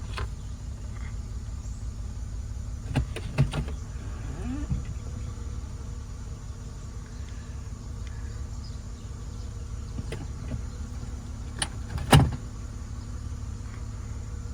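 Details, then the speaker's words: 2002 Acura MDX, 226,810 miles, after ignition switch replacement: low, steady engine hum stays even when shifted into gear, where it used to die, with only brief clicks; normal running. "I got it all back together. It has not died yet. I hope it doesn't."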